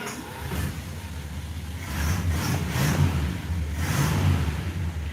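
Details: Plymouth Fury II V8 running after a bad ground wire was fixed: low, even rumble swelling slightly with a throttle blip, smooth with no misses or knocks.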